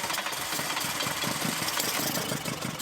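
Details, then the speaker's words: Golf GTI with newly fitted twin carburettors, just started as fuel comes back through the system; lumpy, uneven idle with pulses wavering in strength because the carbs are not yet balanced and need synchronising with a balancing tool. "All right, you can hear that this is running, but at the moment these carbs aren't balanced, so it's not running at all well."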